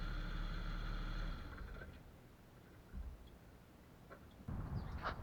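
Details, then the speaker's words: Jeep XJ on test drive after dry lube sprayed on the front axle-shaft u-joint with cracked rubber: low even road rumble with a couple of bumps, no squeak or clunk; front end quiet, u-joint confirmed as the cause, to be replaced or whole axle shaft swapped. "literally there was no noise so the issue was the cracked rubbish on the u-joint on the axle itself axle shaft so once I sprayed the try loop the actual shaft stopped making noise"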